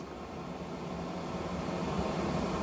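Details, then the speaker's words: HCalory 8KW Toolbox 2S Plus portable diesel heater, switched off by mistake: steady fan rush with a faint low hum and no pump ticking during the auto shutdown cycle. Normal diesel heater shutdown fan run-on. "We'll have to wait for it to go through it shut down. I think the device is shutting down. do not uh power off. Yeah. So, it's going through its auto shutdown."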